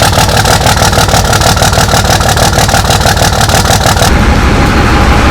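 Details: 2005 Cummins diesel with tuner, lift pump and new exhaust: loud idle with a hard, lumpy clatter about three times a second that stops at shutdown; rough idle, owner says an injector is bad and due for replacement.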